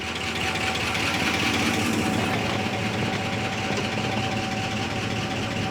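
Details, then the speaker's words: 1969 Barracuda first start after 27 years sitting; busy, uneven ticking clatter over a rough idle, about two or three taps a second, oil pressure mid-gauge; sounds like worn hydraulic lifters. "Is it picking up any oil? Very clattery. Very clattery."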